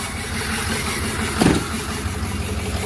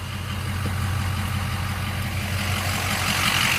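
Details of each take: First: Flatbed truck at 213,379 on the odometer, idling: uneven lumpy idle with irregular stumbles and thumps; misfire getting worse, cause not yet found. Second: Blue truck idling, compared with a misfiring flatbed: steady even idle with low firm beat, no stumble or skip, brief knock midway; normal idle.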